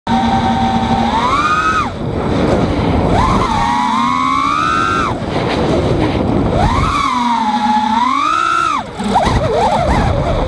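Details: 5-inch quad on Betaflight 2.8.1, recently switched from 5x4x3 to 5x4x4 props, 8kHz gyro/PID: motor whine swoops with throttle, then a quick warbling multiple chirp on sharp stop-reversal with high throttle; owner suspects propwash/tuning, partly reduced by lowering P gains.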